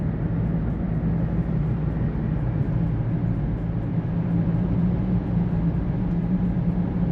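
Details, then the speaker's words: 2012 Toyota Prius driving at about 50–55 mph: steady low droning hum from the rear, which the owner suspects is a bad right rear wheel bearing and expects to grow louder with speed. "I think I suspect we have a bad wheel bearing. Bad rear wheel bearing. If you can hear that."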